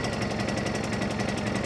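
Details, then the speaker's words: Honda EU2000i generator after carburetor cleaning, just started on choke, Eco mode off; fast chugging beat, about twelve pulses a second, uneven strength; running a little rough, not yet settled. "seems to be running a little rough. We'll see."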